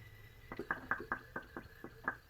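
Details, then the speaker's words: 2004 Dodge Dakota, possibly 3.7L, with heat only working once driving. Sharp irregular knocks, four or five a second, heard during a cooling-system pressure test; cause unclear. Soapy water shows bubbles from the radiator, and the radiator is confirmed bad. "i pressure tested it yesterday and found that it's got a bad radiator i put some pressure in it yesterday i wasn't making all that racket"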